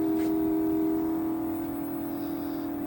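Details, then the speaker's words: Samsung mini split heat pump outdoor unit with a C464 compressor overcurrent error, running at full heat: inverter compressor drawing 4.16 A and rising (max 9.2 A) gives a steady loud whirring drone with a strong fixed hum; tech support suspects compressor, possibly low charge. "And then he does say it makes a crazy loud noise. So we'll see if we can get it to do that. Okay, the compressor's getting loud. It's at 4.16 amps and rising."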